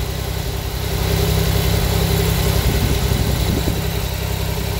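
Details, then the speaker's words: Pontiac Fiero that had died while driving, first start after a plugged fuel filter was replaced and fuel primed: steady low hum with even idle and no knocks or misses; owner suspects timing is off from distributor work. "I was really starting to be scared that it was a timing belt or chain one fuel filter later and it's running"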